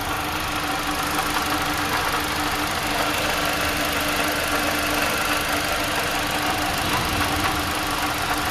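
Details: 2015–2017 Toyota Corolla petrol engine idling, noise traced with a hose to the water pump, before replacement; steady grinding hiss with constant faint hum; water pump noise.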